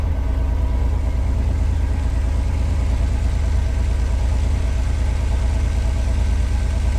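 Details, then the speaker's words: 1986 Pontiac Fiero SE V6, automatic, warming up: idle down to 1,080 rpm but still too high, with a steady, noticeably fast idle and no dip or hunt. Owner suspects vacuum leak, idle control or sensor issue. "Well, she's down to 1,000 80. Still too high, though."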